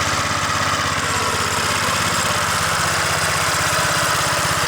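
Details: Vintage 2 hp Briggs and Stratton single-cylinder engine on a Montgomery Ward lawn edger, run after sitting 2 years in storage: even steady chatter with no misses, knocks or surging; normal running.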